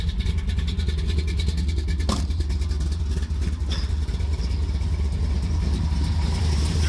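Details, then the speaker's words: 1973 Plymouth Satellite Sebring Plus, 451 stroker big block V8, warming up with good oil pressure: deep, steady idle with an even rumbling pulse and no tapping or misfire under outdoor noise; normal idle. "we doing well nothing's on fire yet that's a good [Music] start all right now we just let it warm up and this be a success"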